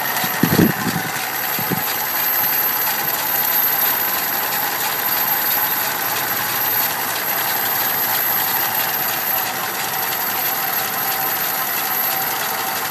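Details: Idle of a 1987 Dodge Power Ram W150 5.2L V8 under restoration: a light, even, rhythmic tick rides on the steady idle at engine speed; a bad lifter is suspected but not confirmed.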